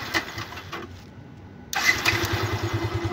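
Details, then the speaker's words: Yamaha Byson that would not electric-start; the starter motor worked and the faulty starter bendix was replaced with an original part. A brief starter whir, then the single fires and holds a steady, quick idle with no grinding. Normal electric start. "guys bisa guys nah ini kalian lihat ini sudah nyala bisa starter"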